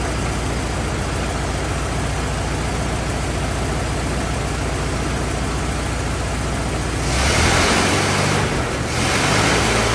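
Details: 1927 Ford TT truck, choked, on battery: even, regular low idle with a clean rev blip and no knocking or stumbling; some oil leaking, owner suspects loose hogshead inspection cover; healthy runner, normal idle.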